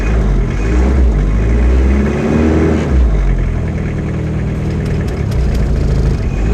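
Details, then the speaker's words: Diesel car previously run on vegetable oil, first start after sitting a while, air conditioning on; owner also says the alternator is bad and the fuel tank leaks. Lumpy, wavering idle. Rough running, cause not pinned down. "air conditioning is on so the engine's not going to run very well come on alternator's bad"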